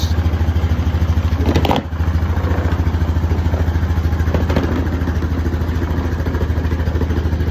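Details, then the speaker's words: Honda Foreman four-wheeler after new battery fitted; even, steady thumping idle about three beats a second with no misses or knocks; normal idle. "But I mean, it sounds to me like we got us a four-wheeler going."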